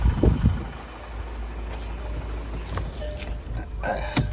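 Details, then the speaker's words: 2012 VW CC with 2.0 TSI engine, after a strange noise traced to the PCV valve and 17 fault codes: after repair, codes cleared, steady even low idle with no ticking or hissing, a couple of light background clunks; no misfire, good power. "Listo ya quedó ya se apagaron todos los códigos ya no falla ya se siente con bastante potencia"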